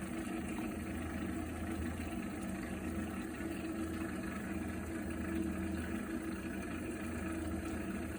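Continuous low rumbling drone with a faint steady hum over it while heating water; abnormal boiler noise, cause unknown.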